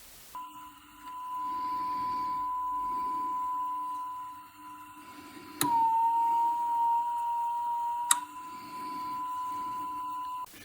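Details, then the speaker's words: Reel-to-reel, constant test tone, reel size switch set wrong: pitch sags and wavers as altered spool motor back tension stops capstan and pinch roller pulling tape at constant speed. "thus altering the amount of torque they offer, which in turn has an effect on the back tension and thus the ability of the pinch roller and capstan to pull the tape across the heads at a constant speed."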